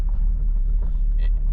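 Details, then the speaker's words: Engine on a £500 Mazda MX5 stumbles with a deep, uneven rumble that surges and sags at a fixed pedal, with no warning lights, on a private road after brake bleeding; owner suspects very low fuel let it suck something in. Engine then died at idle. "if if I keep my foot in the same place on the accelerator it it the engine's not happy but there's no warning lights which is a bit strange but I did let it get very low on the fuel so maybe it's just sucked it"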